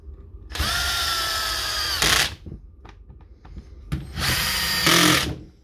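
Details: DeWalt D21570 230/240V core drill after brush replacement (brush leads had burned away, drill was dead): two bursts of high, steady motor whine spinning up and stopping crisply, no grinding or sparking crackle; healthy motor, repair successful.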